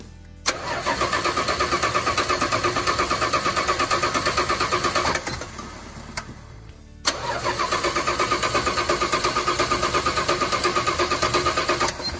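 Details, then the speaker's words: 1986 Dodge D150 Royal SE, 225ci six, just-installed new-old-stock carburetor: two long even cranking bursts about three turns a second, never firing; no fuel because the new carburetor's needle and seat was stuck, fixed by fitting the old one. "alright so we figured out what's going on the carburetor we ended up putting the old needle and seed actually is in this piece right here"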